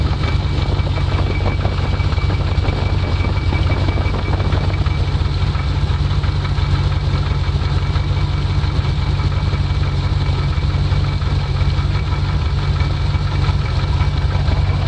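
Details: V8 idling with the hood closed, a deep steady idle with a light quick ticking of about three per second on top; small clatter, cause unclear.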